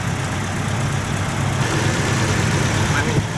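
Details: Toyota Kijang Innova with shaky, stumbling engine: uneven, rough idle with irregular low throb and dips; still misfiring after spark plug (plug 4 checked) replacement, injectors and throttle body to be checked next; cause suspected, not confirmed.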